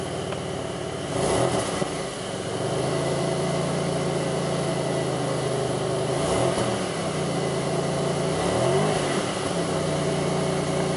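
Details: 2002 Pontiac Grand Prix 3800 V6, no check-engine light, alternator overheating, faint intermittent thumping at rough idle. Revs climb then sag and stumble on each throttle blip instead of rising cleanly: engine bogs on acceleration, cause unknown.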